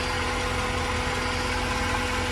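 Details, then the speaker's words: 1992 Corvette LT1 V8, 751 miles, stored since new, new fuel pump and injectors: even cold idle with steady whirring hum from the air pumps; no knocks, healthy. "Good old LT1. Air pumps are running. It'll shut down in a minute,"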